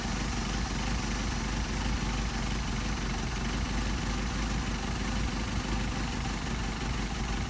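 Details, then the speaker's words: Mercedes 190SL with Solex carbs, idle mixture screw being turned in: even low idle with a thin flat note, rpm dropping and faltering; idle mixture too lean. "we're losing our rpm now we're gonna straight back out you hear the engine pick up"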